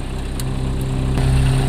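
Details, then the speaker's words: 1986 Toyota van, sitting five years, after battery terminal replacement, in gear: smooth, even low idle at about 900 rpm, normal temperature, no knocks or misses; low on power steering fluid. "It's about 900 RPM, which is good. Temperature's good."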